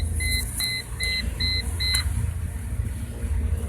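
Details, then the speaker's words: Mercedes C240 after door switch install: key-in-ignition warning chime, five evenly spaced high beeps about two a second, stopping when switch pressed; chime and new door switch working properly. "and you hear that noise behind me that is telling me that the key is still in the ignition and the steering wheel just when removed to its home position because it now knows the door is open so that tells me it works"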